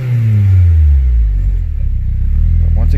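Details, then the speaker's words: Acura RSX with immobilizer-linked ECU swapped from another RSX, bouncing low idle, pedal pressed: engine revs, then sags and nearly stalls before picking up; tip-in hesitation, owner suspects throttle or vacuum leak letting in too much air, unconfirmed. "I'll floor it. I'll put my foot on the pedal. See, it wants to die. I think it may be throttle, but if you..."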